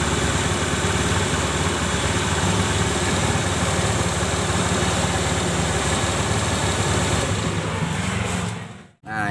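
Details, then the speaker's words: Honda automatic scooter (Beat/Spacy/Scoopy/Vario type), rear CVT after grinding the worn shaft end flat again: revs up with a smooth even drive sound, no rough grinding, then cuts off; CVT noise gone, a temporary fix until a new shaft is bought. "Alhamdulillah ini suaranya tidak kasar seperti awal belum di servis dengan cara ini"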